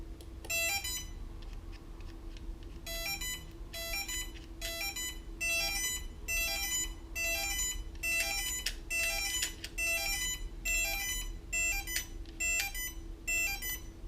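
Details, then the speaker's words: Electric skateboard with handheld remote and receiver: repeated high-pitched triple beeps about once a second with no motor spin-up after swapping ESC connections; ESC wiring suspected, motors beep without driving. "So, nothing was happening there. The controllers were just beeping. Sorry, the motors were just beeping."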